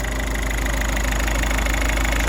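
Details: Ford Transit Connect diesel after early timing belt failure repair, first start-up after reassembly; steady, even idle with a smooth low rumble, no knocks or misses, running healthy.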